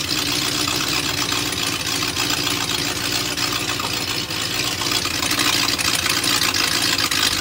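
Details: BMW M62TU V8 (E39 540i/E38 740i) right after chain guide replacement: started in time, then the timing chain jumped while running; harsh, uneven idle with hiss and crackle, exhaust noise from missing SAI pipes.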